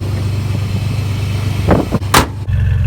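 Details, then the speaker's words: 2003 Chevy S10 Xtreme just after installing a cold air intake, first start: even low idle with a throaty intake rush when the throttle is blipped; clean running, louder air intake noise. "definitely hear it sucking in all the air, that's for sure."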